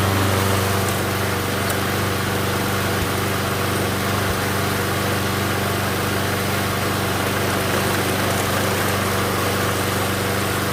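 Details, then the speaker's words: MTD Gold mower with a Briggs & Stratton Quantum engine, after pull-rope repair. The engine holds a steady, even drone with no misses or surging and runs good. Self-propel is intermittent and only engages when the cable is grabbed by hand; stripped front wheels are suspected. "so if i grab the cable it engages it like if i grab the cable physically like this then it does all right runs good"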